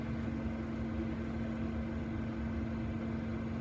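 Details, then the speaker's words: Newly installed Vortex II vent fan in an Open Range RV turned down to medium, about 70 dB (on high it was about 15 dB louder than the slower old fan): a steady, even whir with a mid-pitched hum and no rattles, so the fan runs normally. "so it showed about 15 DB higher of course the other fan wasn't this fast"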